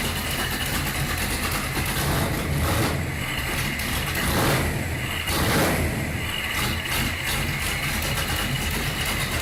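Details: Datsun Magnum V8 with new supercharger, charge piping unhooked and no air filter, rewired ignition, started by powering the ECU after cranking to avoid flooding: lumpy uneven idle with a couple of blips, no rattle or knock; normal idle.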